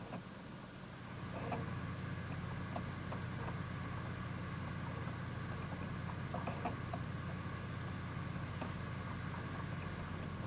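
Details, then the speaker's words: Home 100TB server after replacing stock fans and heatsink with PWM Noctua fans, BIOS standard/normal profile: low steady airflow hum, no whine, buzz or ticking; quiet, normal. "the only thing I did was just set the fans to D standard or normal profile and it's so quiet now this is first boot of course listen to that it's just whisper quiet"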